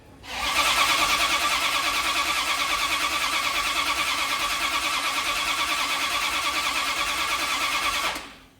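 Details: 1972 Dodge D100 V8 with new solid roller camshaft and Speedmaster 265cc heads, first start after top-end install, timing to be advanced and checked; ragged, uneven beat with much hiss, loose idle before shutoff. Rough running.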